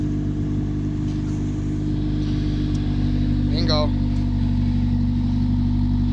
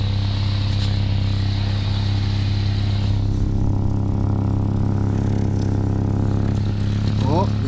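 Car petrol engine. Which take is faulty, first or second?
second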